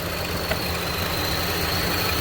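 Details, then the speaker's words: 2015 Chevy Cruze with check engine light, idling: uneven hunting idle with faint hiss, engine visibly shaking; fuel trims 34 long-term, 14 short-term; misfire from vacuum leak, PCV valve on valve cover sucking unmetered air, running lean. "so i noticed here if you lift this little cover up you can see the engine shaking because it's misfiring"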